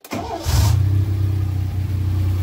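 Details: Alpine V6 start after fitting new tyres and an exhaust silencier, ahead of a test drive: starter whirr, then it catches into a deep, loud, even burble with strong low rumble; normal start with competition exhaust.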